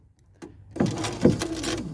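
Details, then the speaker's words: Ford Focus Ghia power window: switch pressed, dry scraping rustle from inside the door with no glass movement; broken power window regulator cable. "That sound of rustling. That's a broken cable. If you hear that sound, like rust in your door, that's a broken cable."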